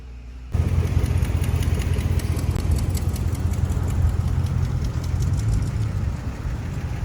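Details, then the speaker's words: Chrysler Pentastar V6 at idle: fast, uneven light tapping from the top end. A long-running lifter tick has worn into the camshaft lobes and no longer makes the high-pitched tick; the engine is starting to skip and run oddly. "She's a ticker. That's why I told him, y'all hear that Pentastar tick? It done got to the point where it done grounded into the cams. It's not even making the high pitch tick anymore."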